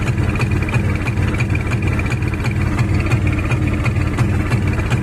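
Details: Kawasaki Barako 175 single-cylinder revved from a normal idle: uneven, lumpy beat of about three pulses a second, stumbling rather than pulling cleanly; sputtering when revved, cause not yet known.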